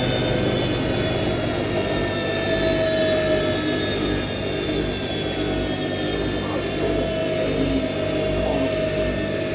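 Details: New IKEA RENLIG IWM60 integrated washer on its first wash, Cottons 60°C with SuperQuick and a load of darks, spin stepping through 450, 650 and 850 rpm: steady rising hum with a coarse, rumbling roughness from the motor bearings.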